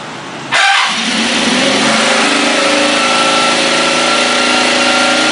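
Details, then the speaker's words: Kawasaki KZ650 engine after adjustment: catches and settles into a steady, even run, clean consistent note, no knocks or misses, quieter than before the fix. Normal running. "Máy sau khi đã chỉnh xong thì cái tiếng nó đã ổn định và nó không có to như cái clip clip đợt đầu"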